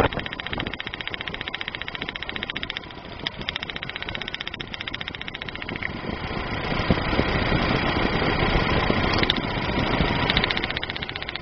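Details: 1999 Daewoo Nubira petrol engine idling with an uneven, stumbling misfire; plug wires and coil were checked, and the cause was cylinder head damage.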